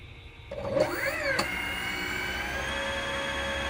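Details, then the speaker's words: Repaired Cellbee underwater scooter motor, previously dead and would not charge or run, tested after plugging back in: whine sweeps up and down in pitch, then settles into steady clean high-speed hum without scraping; working normally. "And there goes high speed. You can actually hear it throttling up and throttling down. So it is working."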